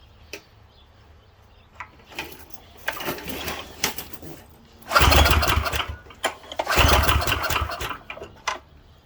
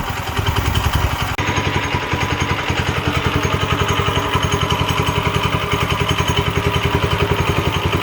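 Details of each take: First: Late-60s Heathkit Boonie Bike with Subaru 170cc engine (about 5 hp), old stale gas, given a sniff with choke: catches in short ragged bursts then dies each time; no gas coming out, clogged carburetor inlet. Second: Late-1960s Heathkit Boonie Bike fitted with a newer Subaru-type clone engine (about 5 hp, 170 cc) runs after a fuel-flow fix, with a quick, even single-cylinder putter, no misses or surging; sounds healthy, as a clone should.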